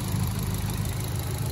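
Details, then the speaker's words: Mitsubishi Colt Ralliart (CZT) just after a custom Dynodaze exhaust manifold was fitted: a deep, even idle burble with a steady low rumble and no knocks or misses, much quieter than before. "Oh, that sounds lovely. You can't even hear nothing now. That's great, Jason."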